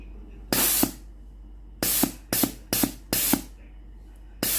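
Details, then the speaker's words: Philips GC9231 steam iron being repaired for weak steam; after the boiler heats and the pump runs, pressing the steam switch gives strong, even hissing bursts, no sputter, showing the water valve opens fully and boiler works normally. "ถ้าเทสได้อย่างนี้นะครับก็แสดงว่าวาล์วน้ำสามารถเปิดน้ำได้สุดนะครับ"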